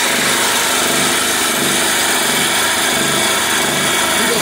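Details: Generator just repaired by a young local mechanic and pull-started: small engine holds a steady, even buzzing note with no misses or knocks, running smoothly.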